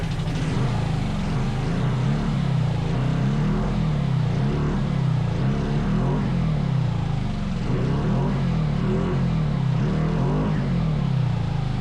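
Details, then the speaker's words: 500cc twin-cylinder buggy engine with carburettors: a low, steady drone with no second cylinder joining in, even under throttle. It is running on only one cylinder; the dead cylinder is possibly not getting fuel. "I think it's only running on one. Yeah. The whole time. No. When I gave it throttle, it worked? No. Still one."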